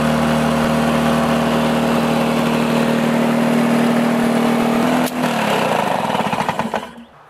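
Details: Two-stroke Lawn-Boy mower after replacing the broken carburetor throttle lever and washing the air filter. It holds a steady, even buzz for several seconds, then drops off cleanly and winds down: normal running.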